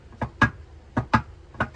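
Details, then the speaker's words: Wavetrac LSD in MK7 GTI 02Q 6-speed manual transmission during install, axle removed, diff rocked by hand from underneath: soft dull clunks in pairs, normal end play before dial indicator shimming. "So that is the play. You're going to want to make sure that the LSD is spinning, that there is some play before you move on to the dial indicator part."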